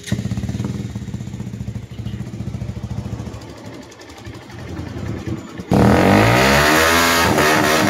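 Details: Rouser 180 single-cylinder after repair for engine noise: rocker arm, tensioner and clutch lining replaced; rings, gasket, chain guide and clutch housing refitted. Idles with an even, steady beat and revs up cleanly with no knock or rattle; running properly.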